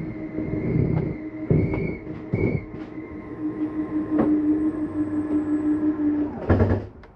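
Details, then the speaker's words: 2023 Flagstaff Classic 832BWS, slide-out retracting: steady motor hum and gear drone for about six seconds, then a firm clunk as the slide seats fully in; normal retraction. "want you to hear that noise that is just the slide mechanism saying I'm in all the way take your finger off the button"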